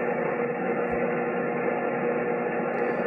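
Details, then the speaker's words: Amateur radio station receiver on 160 m and 80 m: constant rough buzzing hiss across the band from local power line infrastructure, suspected bad pole hardware; power line interference noise. "And this is the noise that I've got on 160 m. And let's go to 80 and see if I can Yeah, it's not great, eh? And yeah, you can definitely hear it."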